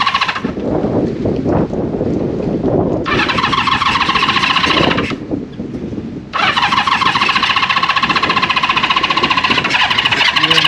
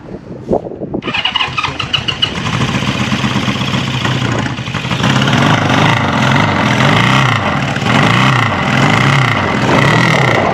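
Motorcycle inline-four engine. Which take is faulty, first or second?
first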